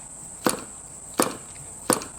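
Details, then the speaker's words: Home-built Titan .60 glow plug two-stroke model engine, partly assembled (half the head and back-plate bolts, no gaskets), flicked over by hand: three sharp firm pops about 0.7 s apart, normal healthy compression as remembered. "Now that is encouraging. Now that's exactly as I remember hearing it when I was a kid."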